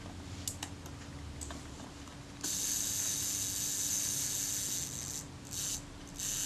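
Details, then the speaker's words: Kodak Retina Reflex type 025 camera shutter during servicing, self-timer just installed: fast buzzing gear-train whir that falters and stutters in short bursts near the end; hesitant self-timer. "it's a little bit hesitant"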